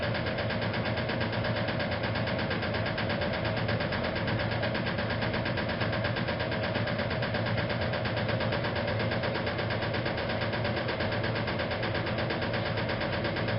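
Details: 1956 Whirlpool Imperial washer in spin: a dull, irregular knock at roughly 85 a minute over the hum from the motor access plate on the rear not fitted back properly; harmless and not affecting operation.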